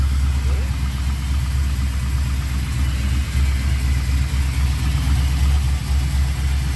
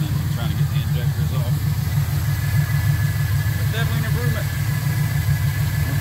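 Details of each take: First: LS V8 in Chevrolet C10 on a Holley Terminator X, just started after ultrasonic injector cleaning: deep, lumpy, loping idle, running on six cylinders; cause was two loose spark plug wires, fixed. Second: LS V8 in a C10, run on Holley Terminator X engine management after ultrasonic injector cleaning, now firing on all eight after two loose spark plug wires were fixed; deep steady idle, even beat, no stumble or miss, still learning — normal idle.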